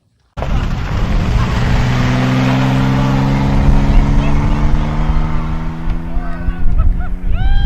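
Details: International (IH) 986 tractor after fixing a transmission whine and vibration, which was caused by the park brake lever arm rubbing the gear and was fixed by shortening the arm. The engine note rises smoothly under load with no rubbing or buzzing from the driveline: normal running.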